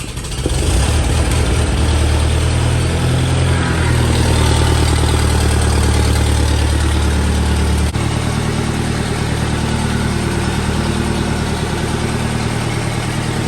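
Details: Massey Ferguson 35 tractor, Continental Z134 engine, just started after a new radiator was installed: steady, even low engine beat with no knocks or misses; normal running while the cooling-system airlock bleeds.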